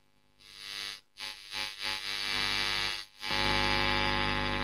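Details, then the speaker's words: Marshall Kerry King Signature amp, audio volume boosted, Master on four and preamp control driving it: a steady low mains-type hum under bright hiss drops out and returns as controls move. The noise is in the preamp and affected by the tone stack, still being investigated. "um but the noise is definitely in the preamp well at least the noise that I'm experiencing so anyway we'll take that out and yeah the the tone stack definitely affects"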